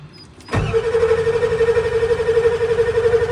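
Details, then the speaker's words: 1995 Ford F-250 7.3 Powerstroke diesel in cold weather: starter whirs steadily with about three compressions per second, smoking but never catching; crank no start, glow plugs not coming on, glow plug relay suspected bad. "crank crank it'll start throwing smoke but it just won't start so clearly the glow plugs ain't turning on so this relay for the glow plugs is probably bad"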